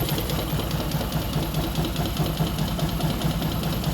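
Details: Newly bought Yamaha Jupiter MX (non-clutch) idling smoothly with a light, slightly uneven knock of about two per second. Grey oil makes the owner suspect coolant in the oil; the source is unclear.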